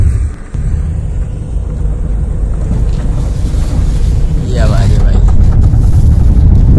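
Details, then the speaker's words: Honda Amaze, mic taped near front tyre, right-hand full-lock U-turn: low rumble with irregular kat-kat knocking about three times a second; CV joint clicking on full-lock turn. "जो noise ए रही है right side U turn करने में cut cut cut वह आपको मैंने सुना दी है"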